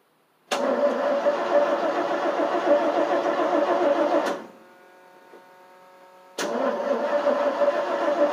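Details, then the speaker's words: 1988 FMC 6000 with a 5-speed, cranked on boosters with the gas pedal floored: starter churns at about 3.5 beats per second, pauses and cranks again without catching; no fuel was reaching the carb, and starting fluid was then used. "Probably needs starting fluid, I think. Stupid thing isn't starting."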